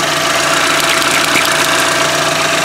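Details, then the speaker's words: 2013 Chevy Equinox 2.4L four-cylinder after a PCV upgrade (PCV valve on modified oil cap, line to manifold): steady even idle, smooth hiss, no misses or vacuum leaks; engine running normally. "No vacuum leaks. Engine runs smooth."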